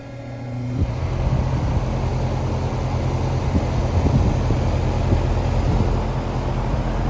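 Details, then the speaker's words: Pentair UltraTemp heat-pump pool heater (part 46932, made 2011) after maintenance, front cover closed with new clips and stainless screws: short start-up, then steady even low hum and fan rush, correctly pulling air through, no rattles or scraping; normal running. "now it's correctly pulling air through with the front cover closed"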